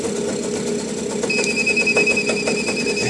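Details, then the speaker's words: Mini quad engine stutters in uneven bursts, about three per second, with a steady high tone, as a bespoke remote-control kill unit repeatedly cuts ignition; effect is adjustable and varies across RPM ranges. "this is the interference you can hear the engine isn't too flash you can sort of adjust this it has different effects at different Riv ranges"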